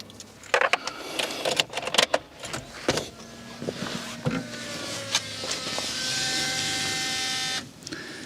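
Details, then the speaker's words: BMW E46 320d diesel with a fuel pressure fault causing stalls, after a new in-tank pump and pre-supply pump: a few clicks, then a steady high whine for a couple of seconds as the pump primes; still sounds noisy, cause unknown. "Why does that pump still sound pretty noisy?"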